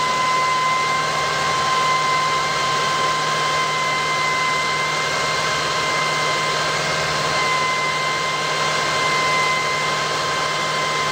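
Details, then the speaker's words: 2005 Lexus ES330, 3.3L V6, at startup and idle: a steady high-pitched whine from failing alternator bearings. The battery light had come on, but it is still charging. "but I will give you all a start up and you can hear the noise as you can tell that's pretty long pretty annoying"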